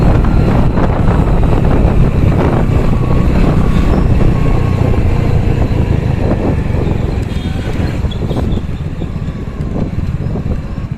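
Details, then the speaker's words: Hero Splendor Plus, 74,224 km, after replacing second-gear parts and shift parts for second-gear fault under hard acceleration; steady, even engine drone at road speed, no knocks or gear whine, gearbox fixed: normal running under load. "तो यहां पर bike हमारी बिल्कुल ठीक है इसमें कोई दिक्कत नहीं है"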